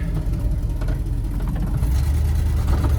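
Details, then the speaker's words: Ford F250 with tired 352 FE V8, pulling away under light load before distributor replacement: deep rumble stumbling through a dead spot then smoothing, cruises fine; owner suspects ignition; acceleration hesitation, cause unconfirmed. "Hear it stumble, and there it goes. So once you get through that dead spot, everything works great. So the thing actually cruises great down the highway, but it's just off the line is kind of a mess."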